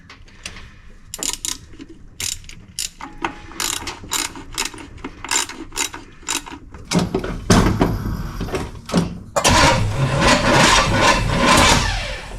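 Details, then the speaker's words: 1968 Pontiac LeMans cranking after the distributor was reinstalled and plug wires connected in firing order 1-8-4-3-6-5-7-2. The starter grinds in uneven bursts and the engine never catches. "Try it now. No, it doesn't seem to like that at all."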